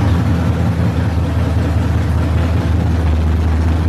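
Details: Barn-find Monte Carlo SS with a 383 V8, revived. A deep, even rumble at steady idle without knocks, ticks or misfires; healthy.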